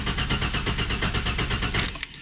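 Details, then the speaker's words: Barn-find Ford Falcon EF XR6 with aftermarket J3 tuning chip (tuned to 150 kW), fresh plugs after fouled rich ones: starter spins steadily with even compression but never sputters or fires; chip pulled to test if it prevents starting. "we're going to see if that does anything because when I crank it it doesn't actually sputter or anything"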